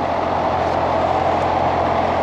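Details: R22 home AC condensing unit checked after homeowner quoted $9000: compressor runs with even, steady low hum, no knocks, rattles or surges; compressor sounds good.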